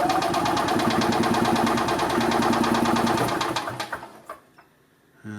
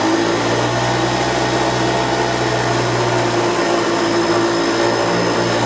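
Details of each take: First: 1990 EZGO Marathon golf cart, two-stroke gas with oil injection: fast rhythmic starter chug, about three beats a second, for nearly four seconds without firing; cranks but no start, compression later found a little weak, carburetor to be pulled and cleaned. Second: 1990 EZGO Marathon golf cart two-stroke with oil injection, jacked up since it has no neutral, after carburetor cleaning, new filters and fuel line: steady even buzz at constant pitch, no misses or knocks, runs good and strong.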